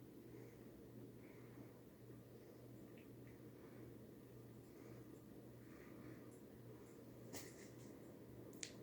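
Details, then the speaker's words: Circa-1987 Firebird-made 52" Homestead Universal ceiling fan, four-blade, running: steady low hum with sharp irregular ticks as the pull chain strikes the little finial below the glass. "click the sound that's the mulching beaten up against the that little finial right there below the class"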